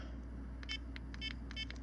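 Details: Garmin eTrex 20 GPS after repairing deteriorated buttons with eraser pieces and tape: about five short crisp high chirps, one per button press, clean and even; buttons respond normally.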